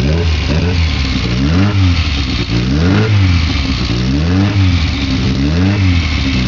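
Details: Weber 40 DCOE carburetors: engine speed keeps swelling and sagging roughly every second instead of holding steady, a hunting idle. Cause suspected, not confirmed.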